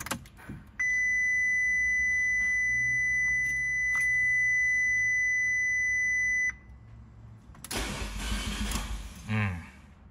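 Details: 2015 Fiat 500C Abarth MultiAir that sat a month in 90°F heat, on a battery charger: a warning chime, then the starter spins about two seconds without catching. Crank, no start; owner suspects oil drained from the MultiAir unit and lost its prime.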